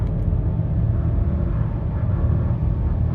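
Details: 2023 Nissan Rogue base model, accelerating with downshifts: deep, droning rumble holding one flat, coarse, unrefined note as it pulls; unpleasant engine drone, no fault source identified.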